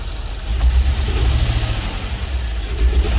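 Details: LS-swapped GMC Vandura, first start after ECU flash: lumpy, uneven idle, exhaust pulses stumbling and surging, running on five cylinders; owner suspects a couple of injectors not firing; misfire at idle.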